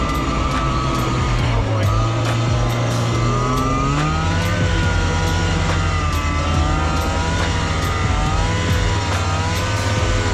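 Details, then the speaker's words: Arctic Cat Jag 440 two-stroke snowmobile (1982, owner thinks), revived after years sitting with fresh 50:1 fuel and cleaned spark plugs, riding through snow: crisp revs rise and fall cleanly, no bogging or misfire; normal running. "well this thing absolutely rips I'm glad it wasn't a bigger issue it's pretty simple just needed some fuel and to clean up the spark plugs a bit"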